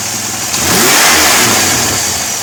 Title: 2002 3.8 Firebird Vacuum Leak